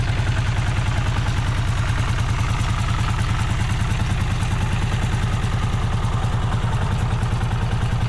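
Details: Vintage Honda GL500/CX500 V-twin, just rebuilt and idling before its test ride: a deep thump at about 200 pulses a minute with a slightly uneven beat. It runs rough, stutters and is hard to start, cause unknown.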